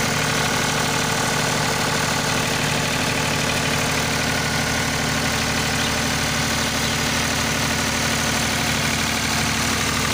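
Even, steady diesel clatter at constant speed with no misses, surges or odd knocks; generator running smoothly and healthy.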